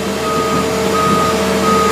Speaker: is of a sensor that we installed to identify that the the latch is not in a a current position to run the rig